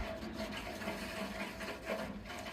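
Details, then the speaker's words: Heating system with one radiator not getting hot, mains water blasted through it via the filling loop: steady rushing, gurgling flow with no rhythm; very dirty water flushed out, expected to fix the cold radiator. "all right that's starting to come through there as long as that doesn't pop off I really should Jubilee it all right I can feel the water coming out of there there we go"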